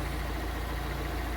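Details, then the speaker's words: Fiat Palio Fire 1.0 8v idling after replacing the burnt exhaust manifold gasket: steady, even idle with a smooth low hum, no ticking or puffing from the manifold; knocking gone. "E aí E aí pessoal acabou o barulho papelzinho rodando aí redondinho já parou de bater"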